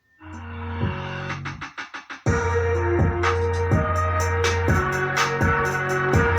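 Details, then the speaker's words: Active speaker amplifier after repair for distorted (sember) bass, tested through a 12-inch test speaker before refitting to its box: full steady bass with no buzz, rattle or crackle; bass no longer distorted. "Dan suaranya sudah tidak semper lagi."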